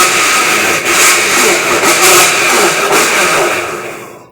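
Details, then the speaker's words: Electrolux LTD13 13 kg top-load washing machine agitating, running with pressure switch simulated: loud harsh grinding roar swelling with each agitation stroke, caused by a cracked drive actuator. "um barulho horrível Como eu disse dá para matar um do coração só de susto"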